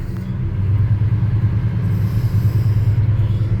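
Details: 1985 NZ-new Chevrolet Custom Deluxe Squarebody truck V8, long-sitting, formerly LPG-run, being brought up to temperature: deep, even burble holding steady with no knocks or misses; oil pressure good, healthy engine settling into normal warm-up idle.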